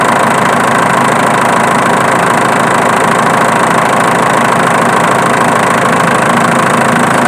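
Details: Diesel engine idling with dense clatter and a faint regular tick on top, located with a camera; the ticking comes from the alternator, not the injection pump as suspected.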